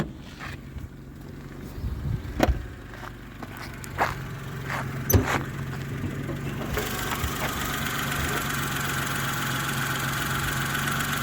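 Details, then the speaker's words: 2012 Daewoo Matiz three-cylinder petrol engine: after some handling noise it settles into a steady, even idle with no skips or misfire. "Ану послухайте не троїть та Як може трьохциліндровий мотор троїти"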